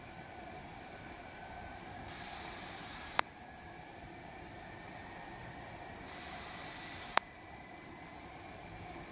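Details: Lumia 950 loudspeaker in standby with all apps closed, OS 10.0.10586.29: sharp clicks about every 3 s over a steady hiss, each preceded by a brighter hiss. Restarting fixes it only temporarily; windy background.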